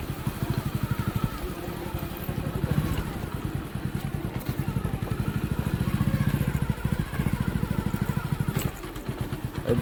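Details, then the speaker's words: Hero Passion Pro motorcycle after clutch plate replacement: even single-cylinder beat rising and falling smoothly with throttle, no grinding or rattling on clutch release as before the repair; clutch engaging cleanly. "अभी वैसा कुछ आवाज नहीं कर रहा"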